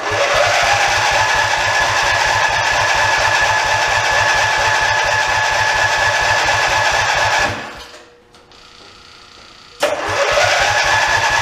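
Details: OMC Mustang 310 skid steer after engine rebuild, first start attempt: steady fast cranking about three and a half beats per second, pause, cranking again, never catches; no spark, no charge.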